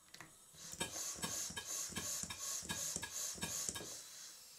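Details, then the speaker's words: Stuart 5A model steam engine on compressed air after adjusting the innermost eccentric's grub screw for slide-valve timing: crisp, evenly spaced exhaust beats about three a second with light ticking; judged as close to right as it will get. "by the sound of the engine now I think that's the closest I'm going to get it"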